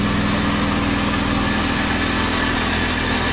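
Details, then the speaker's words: 1997 Lexus LX450 (80 Series Land Cruiser) at idle on a lift after years unused: uneven puffing chuff under the engine hum as exhaust blows out where the muffler is rotted through and its bracket broken off; needs a new muffler. "got some exhaust noise yet it looks like that bracket's broken off up there and it's really rotted out all the way around here it's blowing out right here"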